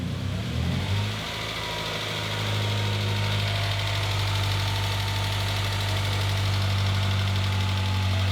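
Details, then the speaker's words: 1993 Honda Prelude, 5-speed manual, 223,000 miles, started after two years sitting: smooth, steady hum with no knocking or misfire but RPMs slightly high, owner suspects clogged EGR, bad plugs or bad fuel; normal running. "That sounds really good. RPMs are kind of high."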